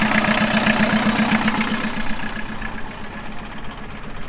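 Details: 1989 VW Jetta mk2 diesel, 5-speed, about 118,000 miles, revived after sitting about 14 years, on new fuel and a new battery: even clatter at about four beats a second, settling and quieting toward a steady idle; normal.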